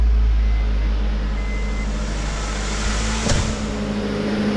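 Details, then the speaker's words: 1st-gen RD1 Honda CR-V after broken timing belt repair, no coolant added yet, idling right after first start: even, steady idle with no slap, knock or miss, one brief handling clatter; runs like a kitten. "Money, money, money. Look at that. Like a kitten, baby."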